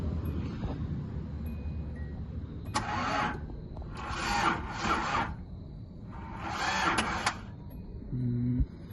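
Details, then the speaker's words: 1983 Datsun 280ZX that sat 18 years, spark plug pulled to check: steady cranking bursts, engine turning evenly but never catching; no spark seen at the plug. "I didn't see any spark. Alright, I've got it set up on this side this time. I still don't see any spark."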